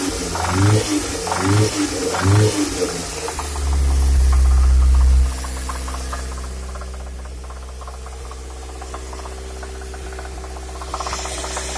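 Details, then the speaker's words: A16A1 engine: sharp knocking about three times a second during revving, traced to cylinder two, fading near idle and silent at idle; engine knock. "Появился вот такой стук."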